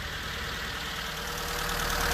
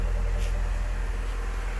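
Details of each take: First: Figaro 989cc turbocharged gas engine at idle: fast even diesel-like ticking clatter; suspected loose valve lash, valve cover to be pulled for adjustment. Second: oh it sounds so smooth oh my goodness no more clattering I don't even recognize it totally different car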